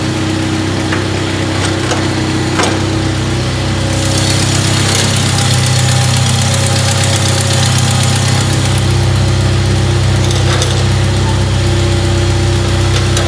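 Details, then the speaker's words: 1997 Jeep Wrangler 2.5L at idle before a cat-back exhaust install: sharp steady ticking about four times a second in time with the engine, from a blown exhaust manifold gasket with loose and missing manifold bolts. "on the manifold are loose and missing and the gaskets blown out"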